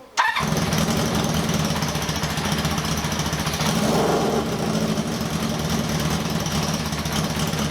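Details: 1978 cafe scrambler hybrid bike build, runs after wiring completed, valves checked not stuck: starts and settles into an uneven, stumbling idle with a sharp tick and puff near the exhaust; misfiring; exhaust leak from a blowing joint at a pulled-out stud.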